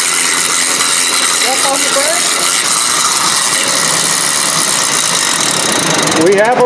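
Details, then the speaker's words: Ford Expedition with no 4x4 after the first snowfall, vacuum-operated integrated wheel end system: a harsh metallic ratcheting, about three clicks a second, under light throttle from the right front; failing right front integrated wheel end hub. "so that noise was definitely alarming and indicates that something's going on the right front hub assembly"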